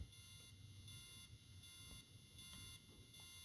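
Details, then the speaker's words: SpeedTech K-Force Micro 14 dual-color LED light bar: faint electronic buzz with high beeps switching about every third of a second on one flash pattern, then it stopped; owner unsure whether this is normal. "I don't know if you can hear that it's actually beeping and buzzing on that particular pattern I don't know what that's all about that's I don't know if that's normal"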